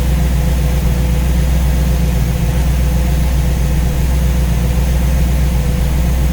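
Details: Warm V8 with newly installed Ace's Killshot EFI and Blackjack distributor, timing set at 15°, idling while radiator is topped up with water; steady, even rumble with no knocks, misses or surges; judged to sound pretty good.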